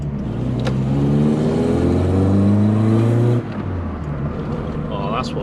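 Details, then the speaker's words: VW Polo Coupe engine, freshly reassembled, on its test drive, accelerating. The note climbs cleanly through the revs with a smooth rising tone and drops off when lifting off; it pulls healthily. "I'm talking about I missed that sound well and truly missed that [Music] sound"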